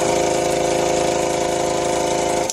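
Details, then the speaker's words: VIVA air MT 2520 2.5HP 8 kg/cm² piston air compressor possibly never given an oil change and run completely dry of oil, customer complains of ugly running noise; fast, hard, strained uneven chatter, then shut off; oil starvation. "客人拿来请我帮他弄的时候，一直反映这个机器声音打起来很难听。现在趁它还没有换机油的时候，我打给各位听一下，但是打的时间不会太久了因为毕竟它已经没有油了嘛。"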